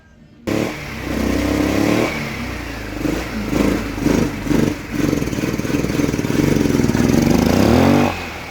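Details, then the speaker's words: Wolf EX-150 scooter, GY6 157QMJ 150cc four-stroke single: quick throttle blips rev up and fall cleanly but it won't hold a steady idle; owner suspects clogged carburetor idle circuit/idle jet, planning to remove carb and blow out jet. "It's just I think the idle circuit on the carburetor is clogged. Because in no way does this bike want to idle."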